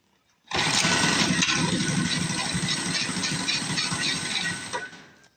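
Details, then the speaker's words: Small engine on a $50 mini bike buzzes fast and ragged at a low idle, then dies; owner unsure whether water on the kill switch grounded it out or a fuel issue, leaning towards fuel. "um it does seem like the idle is a little low if we're going to play with it in here a little bit and try to figure that out because I don't know if I got some water on that shut off and that's what was grounding the engine out or if it's actually a fuel issue"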